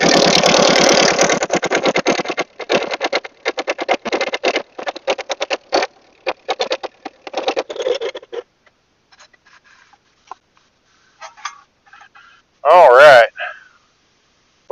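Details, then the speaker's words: Ford 8N tractor, sat for years, after carburetor rebuild (cleaned, float adjusted), choked with a little more throttle; catches and runs with steady crisp firing pulses then shuts off cleanly, no misses or knocks; normal running. "was going to say that sounded really good"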